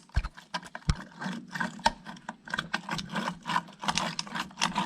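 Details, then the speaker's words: Small-end bearing of a 125 motorcycle engine, turned by hand during teardown, gives dry uneven clicks and a loose rattle instead of a smooth roll; worn small-end bearing. "donc là le roulement de pied de bielle les a mis là qui évite ici donc on fait le lien roulement qui tient là bien tu vois le bruit écoutez écoutez"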